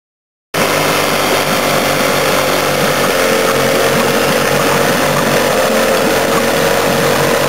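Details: 15 hp Evinrude outboard running with a loud buzz and an uneven, stumbling beat that breaks rhythm now and then; misfire.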